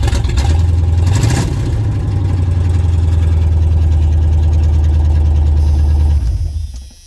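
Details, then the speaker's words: Red Chevy truck on straight open headers with no exhaust fitted (distributor cap and rotor apparently replaced) fires right up at once into a very loud, deep, rapid, raw unmuffled crackling idle; open-header exhaust noise. "There's no exhaust on it at all. Only the straight headers. Oh, it fires right up."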